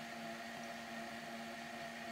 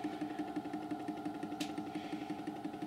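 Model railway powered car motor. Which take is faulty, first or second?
second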